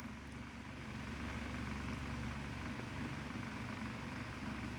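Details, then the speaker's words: Mainstays 12-inch oscillating table fan, model TF330E, on high speed: steady low hum with a coarse droning buzz, severe out-of-balance vibration; owner notes poorly pitched wobbly blades and suspects poor bearings. "this thing is vibrating extremely this is probably the worst vibrating fan I've ever seen in my life and I'm sure none of you fan collectors have ever seen something vibrating this much"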